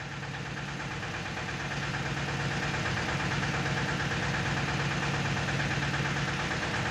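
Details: Tata Ace Zip XL diesel, towed in as a no-start with fault code P0090 (fuel pressure regulator), now started after repair: steady even clatter at about three beats per second, no misses or surging; healthy settled idle.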